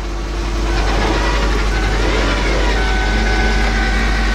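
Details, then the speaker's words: 2001 Lincoln LS 3.0 just started on jumper cables after fuel pump replacement: thin steady whine over the idle rumble; owner suspects power steering pump, maybe low power steering fluid, not confirmed. Whine at idle. "like a power steering pump noise. Maybe beacon power steering fluid."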